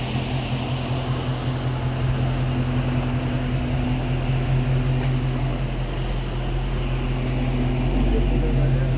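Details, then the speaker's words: Dodge/Chrysler 6.4 Hemi car brought in for overheating: steady low hum with rushing air over the idle, the cooling fan running constantly on the hot engine; cause not yet found. "We're about to check his car out for overheating. Yeah, I hear the fan running right now, but"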